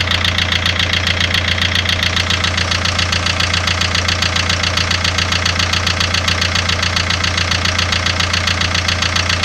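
A steady, fast, evenly spaced ticking knock, a bit over two per second, runs over a smooth idle without changing; the source is unclear.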